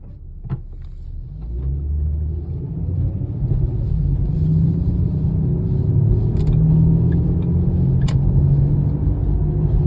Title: my car makes a humming/mower noise when accelerating